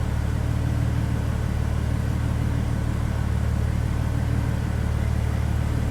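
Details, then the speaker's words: 2006 Mercedes SLK32 AMG, V_tech ECU/TCU tune, 65mm supercharger pulley, new 92mm Hellcat throttle body and ported snout, cold-start idle: steady, even low rumble with no knocks or misses; AFR good, idling cleanly. "So this is straight up just a cold start, and it's sounding pretty good."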